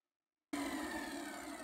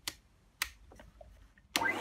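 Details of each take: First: Numatic Henry vacuum, Hi-Lo switch set to high during oscilloscope checks of the PCB: motor comes on sharply with a steady, clean mid-pitched hum and light airy whine, no surging or rattle; normal high-speed running. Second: Numatic Henry vacuum: after switch clicks the motor jumps straight to a high, rising whine with no low-speed start. The oscilloscope shows no chopped wave, so the owner presumes the Hi-Lo PCB has failed (unconfirmed); it runs only at full speed.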